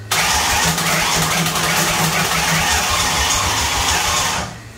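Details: '93 Fox Body Mustang drivetrain in a 2000 Mustang with turbo, cold start with fuel pressure up while distributor timing is being set: churns hard about four seconds with ragged, uneven firing that never catches; cranks without starting.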